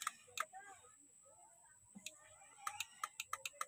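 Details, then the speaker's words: Heater/glow plug relay bench-tested with battery positive and negative applied to its terminals: crisp, sharp single clicks, some spaced, several in quick succession; relay switching properly, supply side works. "So dapat pag tinutok natin, magki-click siya."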